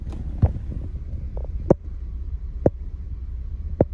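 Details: 2003 Chevy Trailblazer at cold idle: hum broken by a hard thump about once a second, a cylinder 3 misfire worse when cold, caused by a faulty coolant temperature sensor that also upsets the oxygen sensor readings; catalytic converters replaced two weeks earlier.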